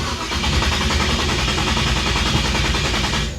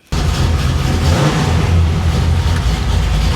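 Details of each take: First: 1966 Chevy Impala after stalling on test drive: steady cranking several seconds, never catches; no spark, owner suspects non-zip-tied ignition feed wire kicked off the fuse block; gas in the bowls. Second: 1966 Chevy Impala after reconnecting the repeatedly loose ignition wire: fires at once, settles to deep steady idle without misses; new tach reads wrongly around 250 RPM, exhaust vibrating the car as not fitted right.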